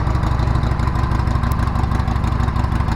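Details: 2012 Harley-Davidson Sportster being revived, just refueled with the tank and seat mounted and the fuel pump primed: a lumpy, even potato-potato beat at about three pulses a second, steady and strong, a healthy V-twin idle.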